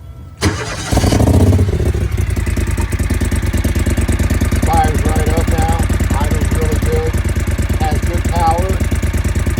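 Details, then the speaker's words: 2012 John Deere Gator 625i V-twin, about 200 hours, after adjustment to cure an erratic, surging idle that had been fouling plugs: it starts at once and settles into a steady, even idle with clean revving. Now running healthy. "power great throttle response and car is running by uh good throttle response uh good idle um don't overheat or anything uh it runs perfect"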